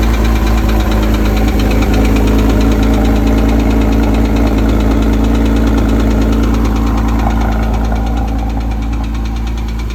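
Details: 2008 Porsche Cayman S at idle: fast even ticking about three per second over steady hum from inside the engine; bore scoring suspected, unconfirmed.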